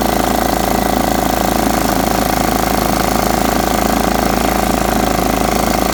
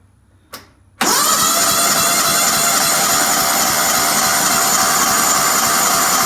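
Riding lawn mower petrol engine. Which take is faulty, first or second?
second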